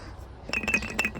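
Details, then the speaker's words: 2000 Infiniti SR20 race car that wouldn't start: shaking the removed $13 fuel filter gives a loose, tinny clinking rattle of debris inside; gummed-up filter blocking fuel to the engine. "can you hear that that's not supposed to be jiggling it's only filter paper inside these things we're going to cut this open I want to show you how gummed up this thing is"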